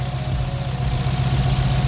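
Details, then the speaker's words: Subaru WRX with swapped JDM engine, after refitting the original oil pan and pickup tube, full oil, at idle: faint regular light knock underneath, much less than before; aftermarket oil pan suspected cause, not confirmed. "still kind of hear it but it's a lot less than before yep there we are"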